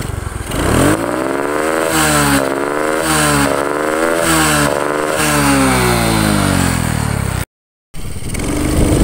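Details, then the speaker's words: Supra X 125 with carburetor: repeated throttle blips where revs climb, then stumble with a rough, hollow "ngok" bog; misfire under throttle. "dengan permasalahan kalau gigas itu gitu Bolo katanya ini tak coba juga iya Bolo ternyata ngok bolo"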